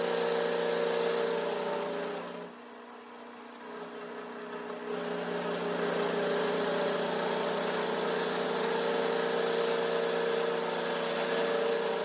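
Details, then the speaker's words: Vintage Craftsman 109 lathe turning a 1-inch UNC decorative nut, working slowly past the hex near the chuck jaw: steady buzzing hum with faint rapid flutter; heavy tool chatter, not cutting cleanly. "It's got obviously a lot of chatter, but I'm going to give it a little bit of clean up and then uh we'll flip it around and finish up finish out the other side."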